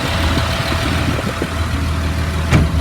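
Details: 2004 Blue Bird All American 72-passenger school bus diesel at idle: low steady rumble holding an even beat, one brief clatter from handling; idles smoothly and sounds healthy.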